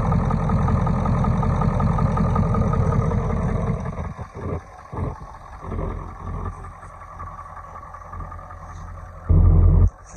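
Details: 1996 Ford F250 7.3L Powerstroke diesel, just revived on starting fluid after sitting, idles with a steady clatter settling into an even rumble, no knocking. Check engine light is on and it may not be charging.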